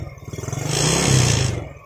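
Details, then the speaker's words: Yamaha Jupiter Z carbureted single, carb cleaned but still stumbling: lumpy putter because petrol leaks from the auto fuel tap into the vacuum hose; black plug. To be fixed by plugging the hose with a bolt. "Bensinnya itu masuk ke selang vakum ini ini yang menyebabkan motor Jupiter set ini berebet ya"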